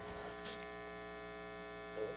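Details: Restored organ tube amplifier under test: steady low electrical hum with a buzzy edge from the right channel, absent with volume turned down; mains hum, cause not yet confirmed.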